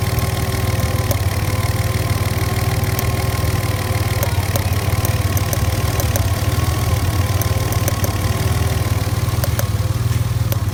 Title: Ford cougar popping noise